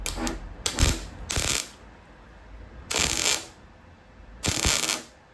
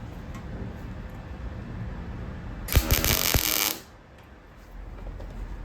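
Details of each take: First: Welding on an Escort-body-on-Mazda MX5 RWD body swap: MIG turned down slightly for a gap after blow-through; steady even frying-bacon crackle, no popping, settings right. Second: MIG welding on Escort body swap onto Mazda MX5, wire speed about 5, other settings about 5.5: roughly a second of fairly even crackle not yet smooth sizzle; voltage slightly low, to be turned up.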